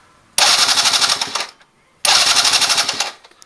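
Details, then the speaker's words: Venice QS50 QT-5 scooter, possibly 50cc, ignition bypassed, starting fluid sprayed in: two bursts of brisk, fast clicking from the starter, about a second each, spinning strongly but never firing; owner suspects no spark. "Doesn't sound like it's getting sparked."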